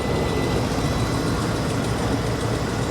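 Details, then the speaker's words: Ex-police RAM 2500 HD, 142,000 miles, check engine light on, water pump recently replaced: low, even idle with a steady beat and no ticking, grinding or squeal; engine runs great. "this thing runs great it runs great"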